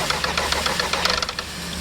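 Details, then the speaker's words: 2010 Volkswagen Tiguan 2.0 TSI, 316,374 km, no start after being parked warm, codes P0300 P0341 P0016: quick, even cranking clicks about seven a second, one cylinder catches briefly, then dies; skipped timing chain teeth suspected. "it kind of picks up and then it dies there's like one one cylinder fire and then die"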